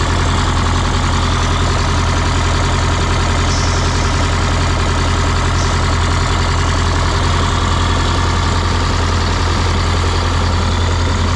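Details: 1977 MCI coach with 8V71N Detroit two-stroke diesel, restarted after freeing three stuck injectors that caused a runaway: deep, steady drone holding even idle, no misses or knocks; normal idle.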